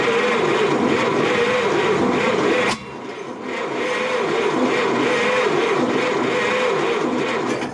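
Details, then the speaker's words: 1929 Ford Model AA Express barn find, first start after 30+ years sitting, carburetor float was sticking, no coolant: four-cylinder chugs at a slow, lopsided beat after a brief stumble; owner suspects one cylinder not firing, a misfire. "there she goes. She is running. Definitely seems like we're down a cylinder though."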